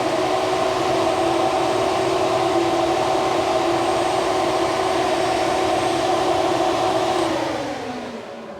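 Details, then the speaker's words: Electric cooling fans on a BluePrint 540 ci big-block Chevy with Holley mid-mount accessory drive, switched on for a test: smooth, steady rushing air and constant hum winding down evenly at switch-off; fans working fine. "you can definitely tell the 1800 moves a lot more than the 1,00 CFM but doesn't matter it fits and it looks good so let's roll with it"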